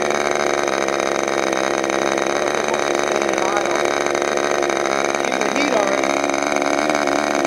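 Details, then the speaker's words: Freshly overhauled modified K&B .61 glow engine from CF Lee on test run: high, steady buzzing scream at even pitch without misses or sputters; running cleanly and strong. "What are you running from? That engine I just overhauled. Sounds good."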